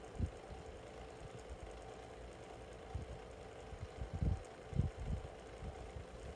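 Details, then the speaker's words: SMC 6-inch desk fan, freshly cleaned, on low speed; soft hum with irregular low thumps and knocks coming and going; owner unsure whether it needs oil or something is loose; fan rattling noise. "not sure what's this noise that's it's doing but if anybody can tell me what it is and and tell me if it's a if it just needs oil something that if it's something loose that would be greatly appreciated"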